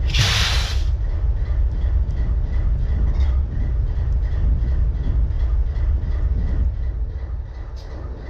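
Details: BNSF 4583 locomotive diesel idling: deep rumble with an uneven, lumpy beat about three times a second under the hiss, a cylinder missing at idle.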